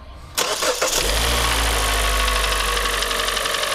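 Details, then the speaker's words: Kia Cerato G4NA 2.0 petrol engine, under 100,000 km, cold start: hard, rapid knock; endoscope inspection found heavy scoring on cylinders two and four, and an engine overhaul is likely. "g4 на 2 литра застучал пробег 100 тыс меньше ста тысяч километров"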